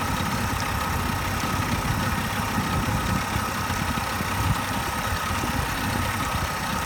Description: This is how my outboard is running on idle. Usually, this sneezing is more frequent, however, this time happened only once.